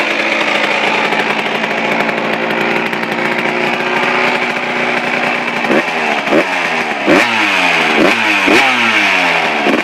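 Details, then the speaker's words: Suzuki RM125 two-stroke, first start from cold after complete engine rebuild, carb at factory stock settings (air screw 1.5 turns out): crisp high-pitched idle, a little high, then sharp throttle blips rising and falling back cleanly; normal running. "wow perfect it's perfect um yeah that's pretty good um i don't need just to do a little bit it's a little bit high but that's good enough for me"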